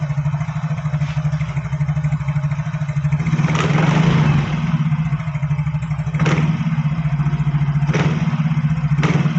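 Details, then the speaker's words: Yamaha Fino automatic scooter after CVT repair: engine rises and falls smoothly on throttle snaps, the earlier crackling from the CVT area is gone; CVT operating normally. "di sini tadi suara kretek-ketek terdengar sepertinya ini sudah hilang coba didengarkan saya sentak gasnya"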